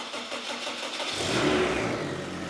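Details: Mazda RX7 rotary engine starting after sitting nine months and an oil-leak repair: brief quiet, then catches cleanly and settles into a smooth steady idle, no misses or knocks; oil pressure 77 psi afterward; normal engine start.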